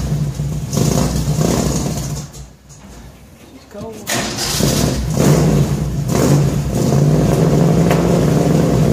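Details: 1966 Ford F100 shop truck V8 first start with new headers and newly built exhaust: fires, blips, dies briefly, then rumbles back with deep even burble and clean throttle pickups; exhaust sounds good, ready for tuning.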